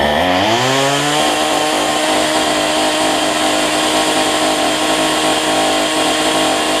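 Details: Cheap weedeater (number 3 of 4) after fitting a replacement Chinese carburetor kit: small two-stroke picks up quickly from low revs, settles into smooth steady high buzz without stumbling; healthy run after carb swap.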